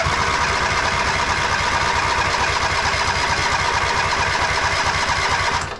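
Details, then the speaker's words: MTD White Outdoor GT2550 garden tractor, 25hp Briggs & Stratton V-twin, just started after battery fitted: uneven, stumbling exhaust beat with no steady rhythm at fast idle before dropping off; running rough, carburetor suspected, unconfirmed. "I really hate these carburetors. They usually run terribly. You can see this one is not running it the best."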